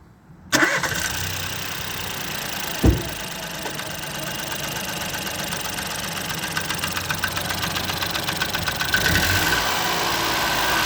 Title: Fiesta 1.0 ecoboost engine knocking